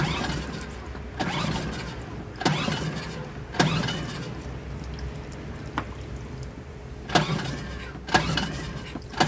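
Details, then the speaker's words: Suzuki DF2.5 2.5 HP outboard that won't start: gasoline sprayed into carburetor air inlet makes it start, so fuel isn't reaching the carburetor, likely blocked jet. Short bursts of pulling and cranking, catching briefly but never settling. "The test shows us that the problem is fuel, because it started when I put gas in it. Now we know that the gasoline does not reach the carburetor"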